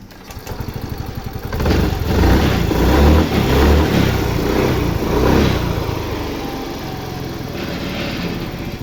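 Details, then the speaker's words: Yamaha Fascino BS6 scooter after a loose injector connector clip, which caused intermittent current, was tightened and cleaned: it cranks, catches after about two seconds and settles into a steady, even idle with no misfire. It starts and runs normally. "അങ്ങനെ നമ്മുടെ വണ്ടി start ആയി പ്രശ്നങ്ങൾ ഒന്നുമില്ല"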